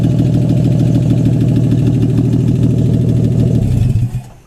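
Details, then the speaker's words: AMC 199 engine in a 1951 Hudson Hornet, just reassembled after a cylinder head rebuild and started: steady, even low idle with a regular beat, no tapping or misses, then a clean shutdown; normal idle. "Alright, there we go. So it's running good."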